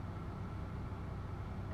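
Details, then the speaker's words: BMW E46 after unplugging the mass airflow sensor: petrol idle holds a low, even rumble without dips or stumbles, showing the MAF caused the rough idle. "okay back in the car right now i'm going to start the engine back okay whoa that remains idle and everything looks fine"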